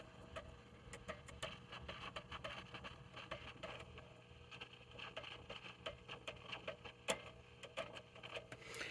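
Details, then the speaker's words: Heathkit T-3 signal tracer, recapped: irregular sharp crackles and pops over quiet hiss at full gain from a noisy carbon composition resistor; replacing that resistor removed the crackling. "but anyway if you look at this one right here you can hear it it's very noisy"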